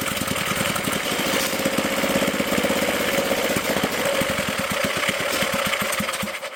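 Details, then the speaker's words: Previously seized auction generator, bowl filled by hand, choke and throttle worked manually, governor not yet connected: fast, uneven chugging at about four pulses a second with a loose, hunting beat. Rough running, possibly low on fuel. "We might be out of fuel. We need more. Look at that. I can't believe it actually ran."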